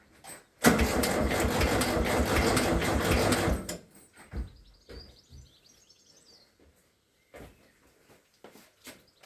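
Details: VW T2 Bay Window campervan air-cooled engine after gearbox bellhousing replacement, starter check with battery connected: about three seconds of steady even cranking, clean engagement, no grinding; normal starter cranking.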